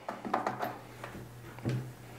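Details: Baratza Sette 270Wi coffee grinder first plugged in: a few short, quick chirps among plugging clicks as power comes on. Normal power-on beep.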